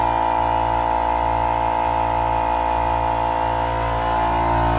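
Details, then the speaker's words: Air compressor running in the open before being put in its soundproof box, phone mic about four feet away; prominent tones at 60 Hz and 960 Hz: loud steady low hum with a sharp even high tone; normal running. "and as you can see it is pretty loud so now I'm going to put it inside the Box"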